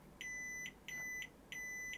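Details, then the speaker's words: Sony Super Beta SL-HF600 Betamax (711B2 deck), cassette-in switch rechecked with continuity meter after cleaning contacts: three even beeps, no dropouts or crackle; switch contacts closing cleanly. "so just checking these switches now there's record detect switch that's okay and the cassette in switch"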